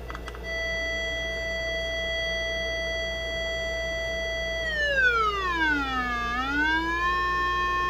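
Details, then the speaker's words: Zenith 4-B-231 radio speaker after repairing the open primary of its output transformer, field coil energized by a 9 V battery. A clean 400 Hz tone into the primary holds, then sweeps to 60 Hz and 1000 Hz without distortion; functional. "we're generating a signal about 400 Hertz and again you can see I'm hooked up to the primary side of the transformer that just repaired"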